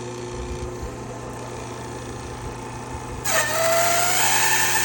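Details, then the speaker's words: 2005 Toyota Corolla A/C refrigerant recovery machine starting up before compressor bearing replacement: after a few seconds it kicks on with a steady mid-pitched whine that rises slightly then holds even, "a little whiny but okay"; normal running with slight whine. "She's a little whiny, but that's okay."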